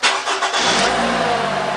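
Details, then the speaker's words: 2014 Toyota RAV4 2.5 litre with intermittent no-start, after new oil and filter and sitting 20 minutes: quick crank then clean catch into an even run with immediate oil pressure and no start-up rattle; owner suspects a stuck oil filter bypass valve had caused the oil pressure issue. "can see it's got oil pressure straightaway and it doesn't have that rattle when it starts up"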